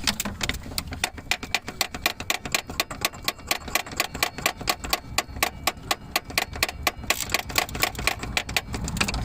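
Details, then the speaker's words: 2003 Suzuki Aerio SX 2.0 no-crank: fast uneven clicking about twice a second with no cranking while key held; gauges flicker, battery drops to 12 V, bad starter or relay suspected. "okay i hear the starter clicking sometimes let me check this relay"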